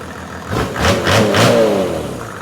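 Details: OM606 diesel on a test stand after injection pump calibration, following an earlier misfire: two quick clean throttle blips settle back to a calm idle with no stumble or miss; runs healthy.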